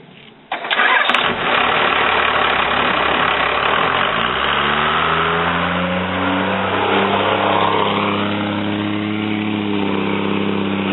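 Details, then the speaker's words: Cummins diesel with VE injection pump after replacing leaking cylinder 2 injector line and running out a misfire for a few minutes: cranks a few seconds, catches, settles into steady, even idle with no misses or knocks. "Anyway, it's back to running good now. Ran it for a few minutes, cleaned up, and cool, knock it off, you dick."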